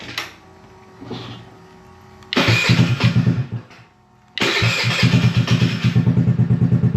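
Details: IceBear Maddog 49cc GY6 139QMB scooter after Naraku 100.52 big bore kit install, hot, no-choke start on stock battery: starter whirr, brief catch, then second start settling into an even, quick single-cylinder putter; starts and idles fine.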